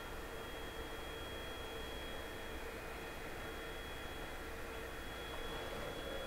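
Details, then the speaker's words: Anycubic Chiron 3D printer after fitting TMC2208 stepper drivers and throttling fans: soft even hiss with faint steady high whine as axes move, no grinding or buzzing; much quieter, not silent. "Er ist natürlich nicht ganz unhörbar. Er lebt ja sozusagen noch."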